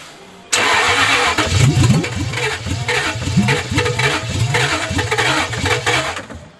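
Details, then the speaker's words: Jaguar engine after head gasket work, just after fitting a new MAF sensor, on bad fuel: starter churns steadily, engine coughs and nearly fires but never catches; crank no start, cause unconfirmed (bad fuel suspected). "Gosh, you nearly went there. He's trying to. Don't forget we've got horrible fuel in it."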